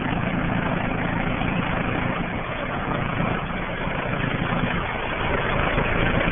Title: 5Ton Rheem sounds like a Chopper !!!